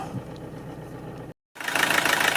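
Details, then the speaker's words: Toyota D4D diesel starting after replacing four faulty injectors, injector codes programmed with a diagnostic tool: short lull, then it catches and settles into an even diesel clatter. Owner first thought the noise abnormal, then judged it normal. "Bon, apparemment le bruit est normal. Bah, j'ai plus qu'à remonter maintenant le dessus."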